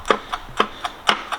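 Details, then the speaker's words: GM LSA supercharged engine with the drive belt removed. Sharp metallic clacks about four times a second, a hard rattle that shouldn't happen, from the supercharger isolator coupling, which is being removed to fix it. "That's bad. That's what we're going to fix. They shouldn't be doing that."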